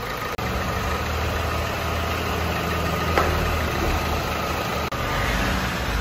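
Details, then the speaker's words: Opel Insignia 1.6 CDTI diesel, automatic, after engine cleaning during heavy service: steady even idle with light normal clatter, no misses or knocks; running healthy. "bu motor temizliği de tamam şöyle kısaca gösterelim arkadaşlar Her gelen araca bu temizliği yapıyoruz Aracımızın çalışması gayet güzel"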